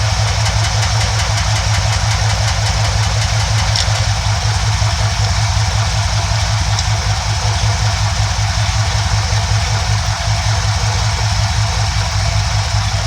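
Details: 1971 Ford F100 302 small-block V8 during carburetor idle mixture adjustment: low idle with an uneven, loping pulse about three beats a second, stumbling rather than smooth; rough idle from lean mixture.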